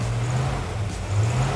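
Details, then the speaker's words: El Camino with new Goodwrench small-block crate V8 during cam break-in: steady even rumble at fast idle keeping oil to lifters, no lifter clatter or ticking; vacuum advance connected, sounds really good. "But what you're doing is you want to make sure you get oil to all the lifters all the time so that they break in properly. Sounds really good."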